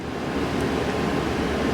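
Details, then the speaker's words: 1966 Suzuki Bearcat 120cc two-stroke motorcycle after maintenance, running steadily with a harsh, very loud raspy buzz because the silencer is missing its baffle; with a baffle it would probably be quieter. "yeah you got a baffle it's missing a baffle it's bat not baffled so if it had a baffle in there it'd probably sound a little bit better"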